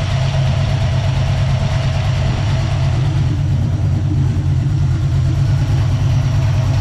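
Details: Small-block Ford 306, GT40P heads, Anderson N41 cam, Holley double pumper: deep steady rumble with even choppy pulse, no knocks or rattles; normal cammed idle.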